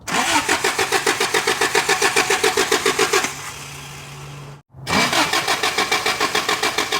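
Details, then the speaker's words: 1983 Toyota 4x4 pickup, 22R four-cylinder, sat at least 10 years, fuel squirting out: cranks about 3.5 beats a second, catches briefly to a weak idle, then dies; carburetor apparently floods over at idle. "yeah let it idle let it idle yeah it's like if you let it idle it it floods over maybe bang on that caror"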